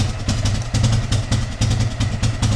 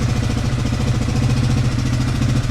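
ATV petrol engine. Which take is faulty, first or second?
first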